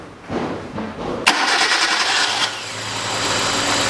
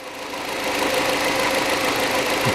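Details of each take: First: Hyundai Accent 2006, petrol, manual, with codes P0134 and others. After the throttle body was cleaned it cranks, catches, then shakes at an uneven idle. Misfire traced to a faulty ignition coil, later replaced. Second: Hyundai Accent 2006, 1.6 petrol, manual, after an ignition coil replacement. Even, steady idle hiss with no stumbles or dropouts. Normal idle.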